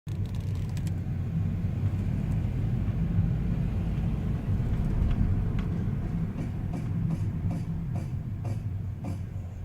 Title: clunky noise when braking